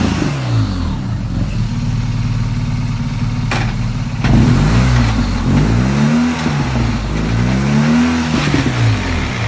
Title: Strange Noise coming off throttle